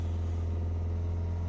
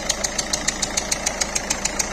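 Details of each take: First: Peugeot 3008 1.6 eHDi 112 hp diesel, first start, held slightly above idle to avoid stalling: steady, even drone with no knocks, misses or hunting; running smoothly. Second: Peugeot 3008 1.6 eHDi 112 hp diesel at idle, smoke and exhaust escaping under the bonnet, worse when driving: sharp, even chuffing tick about seven per second; compression leak, suspected leaking injector seals.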